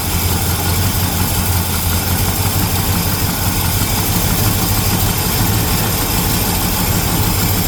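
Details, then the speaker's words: 1975 El Camino V8 idling cold right after a new carburetor install: steady, even low rumble with no misses, knocks or hunting. Normal idle, running pretty good. "Running pretty good now. Huh? Still cold."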